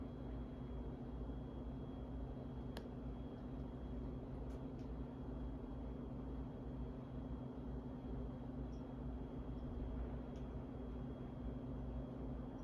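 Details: 52-inch Harbor Breeze Asheville ceiling fan from February 2013, before restoration: steady low hum and rumble with no speed change, motor running weak and sluggish from a bad run capacitor.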